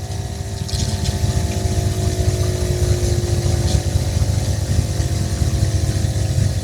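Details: Detroit Series 60 diesel truck engine just after replacing the crankcase breather for suspected high crankcase pressure: steady low idle rumble with a faint spinning whine that settles; the breather turns freely and the engine sounds healthy.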